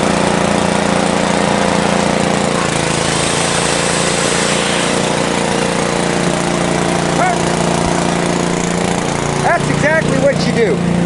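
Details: 1970s Briggs & Stratton generator built for Princess Auto: small engine drones at a steady pitch under load, with no misses or knocks; running evenly.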